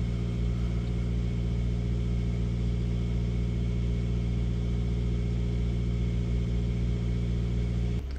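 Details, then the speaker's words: Skoda Octavia diesel whose revs creep to about 1000 rpm after short drives: smooth steady idle held high during DPF regeneration at 620°, pressure 126 mbar, soot not dropping enough; worn DPF suspected. "It's at 620° now. We are idling high idling. You can see there. So that just does confirm that it is regeneration."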